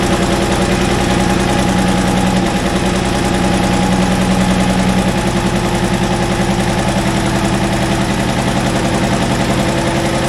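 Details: Cold start of an International wheel loader diesel that sat 8 years, after its injection pump rebuild, with a booster for cranking: lumpy, uneven idle of about three pulses a second with a knocking edge. Owner suspects poor injectors and off timing.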